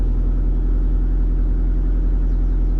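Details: 1986 BMW 325i with SR20DET swap on Link ECU, fuel pressure roughly 48 psi: deep steady rumble at idle, even with no stumble or surge, warming up smoothly; normal idle.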